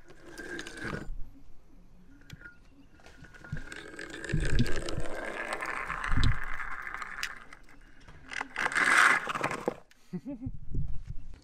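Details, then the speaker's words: DIY 12S 50V electric skateboard, Flipsky 6374 190 kV motor on pulley drive, first test ride: motor whine climbs on throttle with sharp clacks as the drive slips and skips rather than pulling smoothly. "that's what I was worried about. Let's see if I can get it going enough that it won't skip anymore."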